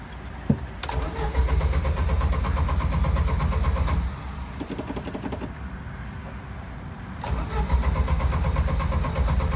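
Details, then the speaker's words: Jeep Wrangler YJ with stalling problem, no check engine light, thermostat swapped to 195 and gauge never reading high: it died on throttle and now cranks steadily in repeated attempts but will not start. "see that's stepping on the gas and it died died it died we can't start it up again"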